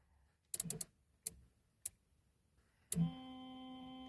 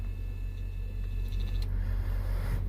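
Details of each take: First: 2002 Buick LeSabre, wipers switched on: a few switch clicks, then a steady low electric hum for about three seconds with no sweeping; wipers don't move, motor suspected binding or failing or something caught, unconfirmed. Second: 2002 Buick LeSabre windshield wiper motor, bench-tested plugged in, grounded, ignition on: faint even electric whir runs steadily, then stops cleanly at home position; motor is good, normal operation.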